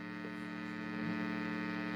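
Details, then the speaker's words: Strich Multi-Cab digital cab-simulation guitar pedal with gain around 80–90%: a steady low buzzing mains hum with a bright edge comes through, then cuts out. "when you have the gain um at about I don't know between 80 and 90 is a little bit noisy. I don't know if you can hear that, but there's uh a little bit of uh hum coming through."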